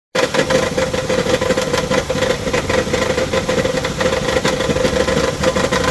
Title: ram promaster 2017 broken flywheel noise. ticking sound inside the pentastar engine.